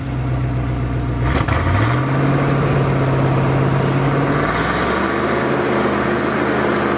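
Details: ZIL truck engine after start with fresh battery and crank handle kit, moving up the hill: loud steady drone, low tone rising as revs pick up then settling; running normally.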